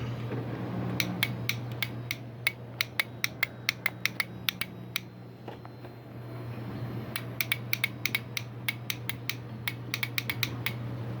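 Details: 2005 or 2006 Yamaha R6 with a borrowed battery from another bike, kickstand sensor wiring fixed, fuel pump pigtails earlier crossed; sharp dry clicks two or three a second with no cranking; clicking, no crank, cause suspected, not confirmed.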